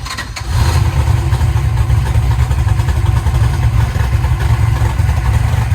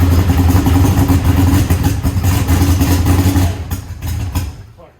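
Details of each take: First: Eagle Talon engine after Holley EFI conversion and rewiring, once fueled up: catches and settles into a steady even low idle with no misfire or skipped beats, hitting on all cylinders; normal idle. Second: Eagle Talon engine just converted from Pro EFI to Holley and rewired: catches and runs lumpy with a ragged stumbling beat before dying, seemingly running on one side only and throwing fuel out of that side; cause not yet found.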